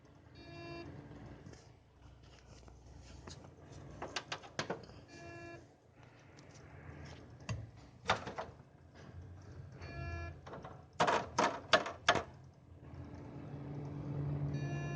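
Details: Cooler Master Seidon 120V ver.2 liquid CPU cooler: a short buzzy tone repeating about every five seconds over a low hum, amid handling clatter; appeared after a few months, with CPU reaching 60°C seconds after boot; cause unconfirmed.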